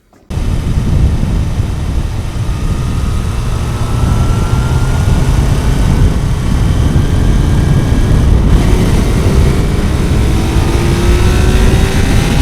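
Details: Kawasaki four-cylinder motorcycle after fixing a cylinder 1 misfire, suspected from disturbed ignition leads: revs up smoothly and pulls on all cylinders, slightly rough and still needing fine tuning; running as it should, normal running.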